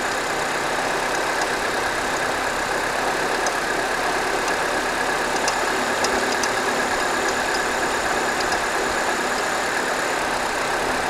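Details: 2009 Ford Fiesta Titanium 1.4 automatic petrol at cold idle: steady hum with faint, intermittent light ticking that starts from cold and stops after about 5 minutes. An earlier loud click was the aircon compressor clutch, before the aircon was turned off.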